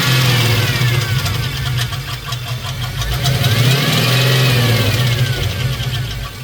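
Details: GM 5.3 LS engine swap built with cheap eBay lifters and trays, idling after being bounced off the rev limiter: heavy, fairly regular knock three to four times a second with some squeaking. Confirmed as lifter failure plus a spun bearing.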